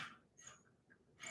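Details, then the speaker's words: Colson loop-tail bicycle having a right-hand national-fine thread tapped with grease: short, high-pitched squeaks in bursts as the tap is worked back and forth, indicating dry, rusted threads. "Yeah, you don't want to hear any of that squeaky stuff when it comes to threads. That means dry, rusted thread."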